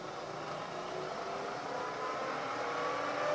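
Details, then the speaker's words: Milling machine with a continuously variable speed transmission, turned from 500 to 1,000 RPM: smooth, even spindle hum with a faint whine rising with speed, no knocks or grinding. Running normally. "it has a continuously variable speed transmission so to change speeds turn the machine on and it's just easy as turning this handle you want a speed of 500 RPM turn the handle down until the needle points to 500 come up to 1,000"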